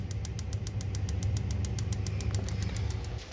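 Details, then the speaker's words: Boiler with two solenoids, pilot tube and HT-lead electronic ignition, after pulling out a wire that was shorting against the burner: crisp, even snapping about four a second over a low burner hum; ignitor now sparks every time. "as you can see now it's sparking every time"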